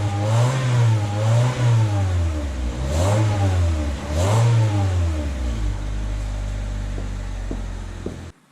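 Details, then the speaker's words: Catless 2000 Honda Civic (eBay header, test pipe) after adding a resonator installed correctly, slits toward the engine: repeated revs rising and falling with a deep, smooth exhaust note, settling to steady idle. The resonator virtually eliminated the raspiness above 2,800 rpm. "i would say it made a huge difference pretty much got rid of all the raspiness all together"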